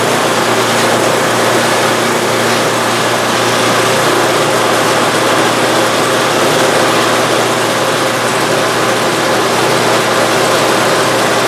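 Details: Free Simplicity snowblower engine after an oil leak repair, freshly filled with oil and gas: steady, even buzzing run with no misses or knocks; normal running.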